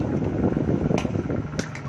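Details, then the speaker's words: Electric fan after repair of a blown fuse (was totally dead), wiring swapped so it now spins clockwise: steady low motor whir with light handling clicks; running normally. "Kita tes kembali ya, sudah posisi on ya, benar, putaran ke kanan searah jarum,"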